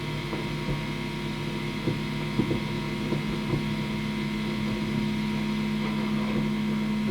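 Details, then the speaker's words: Fender Twin Reverb, vibrato channel only: low steady hum with uneven grumble and odd crackles, gone when channel volume is turned down; a noisy preamp valve is suspected, not confirmed. "it's not particularly obtrusive but um it might be a bit annoying for the customer it's only on the vibrato channel"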